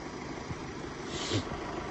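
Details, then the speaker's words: 2017 Mercedes E-Class OM654 diesel at low steady idle after timing chain replacement, even beat with no chain rattle that was loud on cold starts before; normal idle. "Everything's running sweet."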